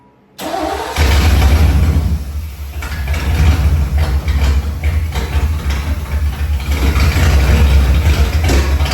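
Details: Tribute Camaro after new fuel tank, fuel pump and sending unit: brief crank, then the engine catches and settles into a deep, steady, even idle rumble; healthy first start running on its own.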